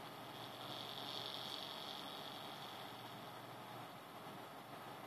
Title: AMD A8-6600K cooler - strange noises